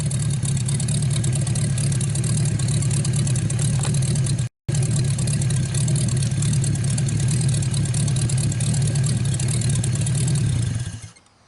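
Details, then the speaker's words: 1949 Buick straight-eight, first start in years, restarted after cooling down and refuelling: deep, steady rumble with smooth even firing through the revs, then clean shutoff; runs really good. "Well, there you go. Runs really good. I'm going to let it cool off a little bit, and we're going to see if it'll fire one more time, see how well it starts, and then we'll call it a video."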